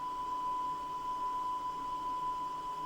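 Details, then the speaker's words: Cassette deck after tape speed adjustment using a frequency counter app (was reading 950 Hz): clean, steady 1 kHz test tone, no wavering or flutter; tape speed now correct. "let's see y that sounds [Music] right so all you need is one known good tape"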